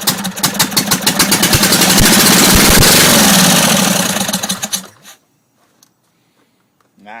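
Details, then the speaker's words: Briggs Intek engine on a racing tractor with stock throttle, primed with gas down the intake: catches and runs a few seconds, then fades and dies; not getting fuel from the carb, fuel starvation. "nasty so still not getting gas but uh stay tuned it will run"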